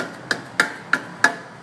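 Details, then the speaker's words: 2005 Hyundai Santa Fe, rattle on acceleration, tapping the exhaust shields further down: four sharp taps ringing briefly and dying clean with no buzz; shields solid. "So we're going on down, all the way down. Everything seems pretty solid."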